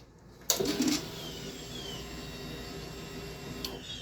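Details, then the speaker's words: 2005 Suzuki Boulevard C90, recently rebuilt top end, now won't start: click at key-on, soft steady whir for about three seconds, then click; normal fuel pump prime, everything coming on as it should. "okay every everything's coming on as it should"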